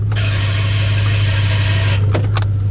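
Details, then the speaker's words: Jeep, key only in the on position in park: the starter engages by itself and spins unmeshed, a steady low hum with high whirring hiss that cuts off abruptly, caused by the ignition being shorted to a hot wire. "that's the car trying to start itself from that one bad wire"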